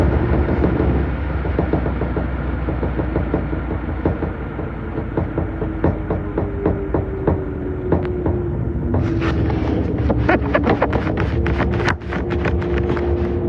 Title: Samsung washer weirdly shaking and making noises